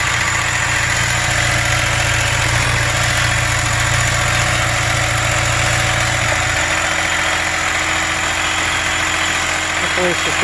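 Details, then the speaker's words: 2003 Ford Explorer 4.0 V6 just after timing chain install, first start: running very noisy at idle with a harsh, loud mechanical clatter over the firing beat; source of the noise unknown. "guess we'll find out [Music] [Applause] it's running pretty noisy"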